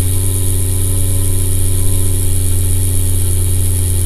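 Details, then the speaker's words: MSI GTX 560 Ti graphics card fan, card mounted vertically on a test bench: rough, rattly buzzing drone that stops and fails to spin up properly; failing fan, replaced with new 75 mm fans. "yeah listen to that it doesn't sound very good at all it stops and it doesn't get"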